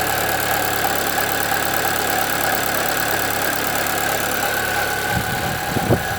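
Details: 2013 Chevrolet Celta 1.0 engine, steady idle with a continuous even whirring drone from the front of the engine; timing belt replaced at 50,000 km without curing it, noise growing; slight play found in the water pump, owner suspects it.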